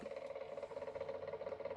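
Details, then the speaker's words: Shucked Seagate One Touch 5TB drive, brand new, mounted in a Q-See QC918B DVR without vibration dampening, cover on: a faint steady mid-pitched hum with a fluttery rattle; owner suspects the missing dampening, not confirmed. "my concern is it a it's a little noisy and I think without the dampening but the previous drive didn't have any dampening either"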